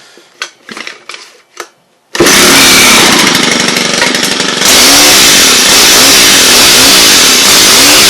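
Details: Stihl HL hedge trimmer after soaking seized blades with WD-40: loud high-pitched two-stroke buzz starts after a few clicks, revs and settles steady with rhythmic blade chatter; running normally.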